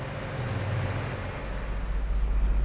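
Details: Chevrolet Aveo idling with AC on after its growling original compressor was replaced by a custom-fitted Avanza compressor with new hoses and freon recharge: low, even hum, no knocking or growling; vent reaches about 5.3–5.9 °C.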